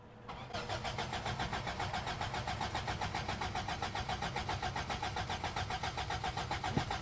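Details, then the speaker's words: Toyota pickup 22RE 4-cylinder, 5-speed, freshly bought, new battery: starter spins steadily about four compression beats a second but never catches; crank no start, owner suspects fuel pump not running though fuel gauge reads full. "Get a stick and stick it in there and see if the fuel pump kicks on. I do not think it's fuel pumping. It's really unfortunate because the fuel gauge says full."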